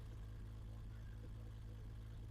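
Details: Freshly rebuilt BMW M20 325iS-spec engine running on bench; low steady idle with regular loping beat, even and smooth, slightly fast, healthy, starts easily.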